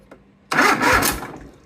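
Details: Everride Yellow Jacket mower with a Kohler 23 hp engine, 843 hours, which had a click-no-start with all safeties good; after the starter solenoid was bench-tested and reinstalled, the engine cranks and fires almost at once, catching cleanly: normal start.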